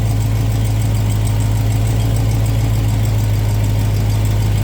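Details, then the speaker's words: Supercharged Dodge Charger Hellcat V8 idling after oil change, run to circulate oil while checking for drips: deep steady idle with even low rumble, no ticks, knocks or misses; healthy exhaust note. "This car has such a nice exhaust note to it."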